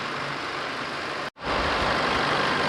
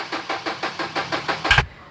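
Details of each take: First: 2012 Chevrolet with a 2.5 diesel, brought in on a tow truck with a no-start, now repaired and recorded from outside: smooth, steady idle with no knocks, misses or hunting; starts and settles cleanly; normal idle. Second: 2012 Chevrolet Z71 with 2.5 diesel that won't start, brought in on a tow truck: even starter cranking about six pulses a second that stops without the engine catching; cause unknown, codes to be scanned.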